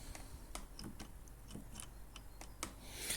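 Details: Ginge Classic lawn mower (Loncin engine) drive wheel after cleaning packed dirt out of the ratchet and lubing it: crisp, evenly spaced clicks about twice a second, no grinding; spring now engaging cleanly, normal ratchet.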